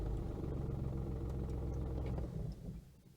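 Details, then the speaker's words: VW Lupo 3L diesel, automated gearbox in Stop position: engine runs with a steady low rumble, then winds down evenly when the brake is released, an intended automatic shutdown. "And if I go off the brake, then it stops the engine because we are in stop."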